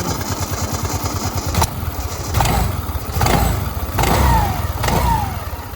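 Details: Suzuki Access 125 scooter: starts and settles into an even low putter with a few smooth throttle swells and no clutch rattle; sounds healthy.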